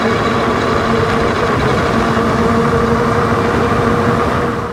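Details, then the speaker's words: Wallke H7 AWD e-bike, 48V 40Ah battery, 750W front geared hub motor, microphone down near the front wheel, full throttle at high speed: steady whirring hum with faint tones near 200 and 500 Hz; hub motor whine under load. "all right so you can hear there with the microphone down below hopefully a little bit better the w w noise it was making now that's usually when it's full throttle getting up to high speeds"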